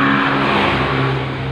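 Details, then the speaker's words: Honda Vario 125 scooter with rough, noisy CVT; rough gravelly rumble with steady hum as rear wheel is turned by hand; worn driven (rear) pulley bearings, two to be replaced; front pulley still good. "Jadi untuk yang suaranya berisik banget itu ada di bearing. Ada di bearing ini."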